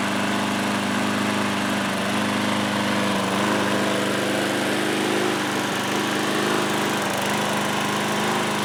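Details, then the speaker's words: Older Craftsman mower small petrol engine running loud with slight periodic sags and recoveries, a mild hunting surge at idle after carb cleaning; owner suspects a little stale fuel left in the carb, not confirmed. "so it's possible that it's only surging like that because some of that fuel and there's a little stale"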